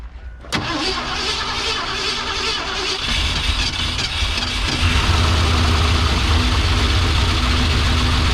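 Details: Abandoned 1971 or 1972 Ford Mustang, left sitting for an unknown time at a wreckers, cranked after starting fluid was poured into the carburetor. The starter turns sluggishly at a few beats per second and never catches: slow cranking, no start. A booster pack is wanted next.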